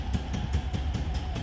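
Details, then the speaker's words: Isetta single-cylinder engine, just refitted with motor mounts and exhaust tightened, started on battery: low idle with a sharp pop about every fifth of a second from an exhaust leak; owner thinks mixture is a little rich, slight black smoke. "well my exhaust has got a little bit of a leak that's the pop pop is but I think the mixture might be a little Rich CAD rich but she's running good"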